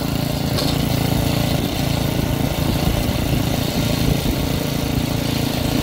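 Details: Troy-Bilt rear-tine rototiller engine after magneto cleaning restored missing spark and carburetor cleaning, during carb adjustment: single-cylinder runs at a steady, even beat with no misses or surging; sounds healthy.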